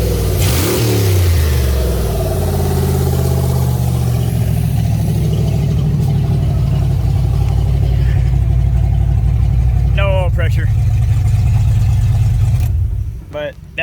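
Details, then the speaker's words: Fox body Mustang V8 at first start in 18 years after harness swap, revving and holding a fast, loud, raw burble with harsh open rasp; loud because the exhaust connection isn't welded on yet, needs exhaust shop. "wow that sounds pretty amazing if you ask me uh i'm loving it the reason it's so loud is skate down there right now i got to bring it to the exhaust shop to get that uh welded on"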